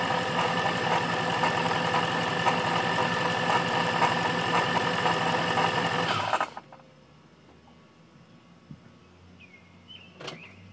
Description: novi 2200 rattle noise when car is shut off. It's also making a clicking noise at idle. Not sure yet what the cause is